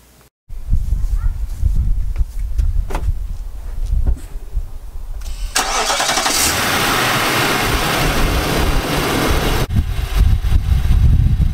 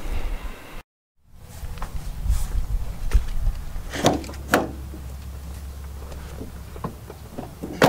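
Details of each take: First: 2018 Nissan Armada, original engine before short-block replacement: cranks and catches, then a hard diesel-like rattling knock through idle that keeps pace with engine speed; bottom-end knock, fixed with new short block. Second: 2018 Nissan Armada after replacement short block, about 3,000 miles on it, previously knocking like a diesel: door clunks, then engine starts and settles to an even low idle with no knock; healthy.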